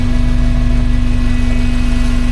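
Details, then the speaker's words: 1982 VW Westfalia with Subaru swap idling warm, rear-mounted VW radiator: low steady idle with even electric fan hum; radiator fan switches on at 100° and temperature drops to 96°, working normally. "So the fan finally came on. Comes on at 100°."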